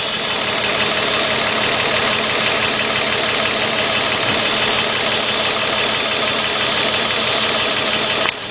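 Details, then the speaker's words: 2004 Nissan Maxima 3.5 V6 with cylinder 1 misfire (P0301), coil 6 also unplugged for test: rough uneven idle with loping stumble and irregular pulses, running on only four cylinders. "it is look at iPad it now look how wide it agrees see only four that means this thing is only running on four so that's only four coils going right there"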